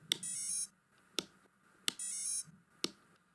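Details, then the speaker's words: Quadcopter powered on with the flight controller disconnected: the ESCs play a three-tone startup beep through the motors, versus four tones when the flight controller is powered. "and if I disconnect the power from the flight controller then we have only three sounds"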